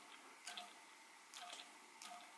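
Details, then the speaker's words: Eachine Tyro99 5-inch drone, rear brushless motors flicked by hand after 10-12 packs on 4S: faint gritty whirs, with the front motors quieter; the owner suspects poor-quality bearings, and the motors run cold. "then after about 10 12 packs these back ones are getting a little noisy you hear that so I think these are poor quality bearings"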